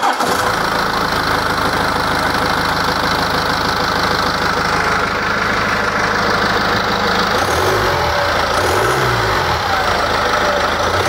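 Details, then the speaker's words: BMW diesel engine repaired after damage from the wrong engine oil, earlier whistle gone: smooth, even idle clatter with no whistle or knock, and a slight low resonance from the DPF housing packed with rock wool; normal idle. "Quindi avete sentito il la rumorosità è perfettamente in linea come qualunque motore ehm di questo genere"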